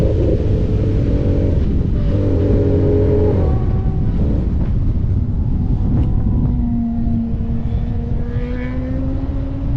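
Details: Honda motorcycle on a Grattan Raceway track day: under load the exhaust stutters and breaks up unevenly, revs sag instead of pulling cleanly; misfire with power loss, rider suspects the Power Commander V.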